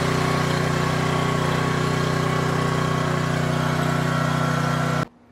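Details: Craftsman V20 battery-start gasoline pressure washer after no-start repair with fresh Tru Fuel (old gas about four weeks): small single-cylinder engine runs steady and even for five seconds, then shuts off cleanly; sounds healthy.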